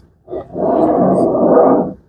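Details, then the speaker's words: Coarse grinding for about a second and a half while turning the steering wheel of a Lexus IS350 just after starting; a rusted steering rack is suspected, with replacing the rack as the suggested fix. "Like it's making like a grinding noise. I don't know where the noise is coming from. I don't know what may have caused the noise. It's very annoying."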